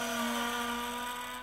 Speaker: go back here sounds perfectly normal just the motor noise but going in this direction I've got an obvious squeak